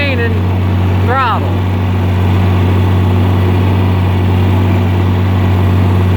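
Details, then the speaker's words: John Deere 4010 diesel pulling a hill at wide-open throttle: steady deep drone that stays flat without picking up, losing power under load; owner suspects the governor or the pump screen. "But pulling that hill, it would lose power. And I had the throttle wide open."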